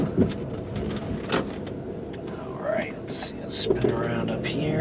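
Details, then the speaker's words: 2004 Kia Amanti test drive in snow, warm engine: over steady tyre and road rumble, dull clunks and creaks from the suspension as the car moves; suspension needs work. "like I said you can kind of hear that creaking and banging from the suspension sounds like it's going to need a little work"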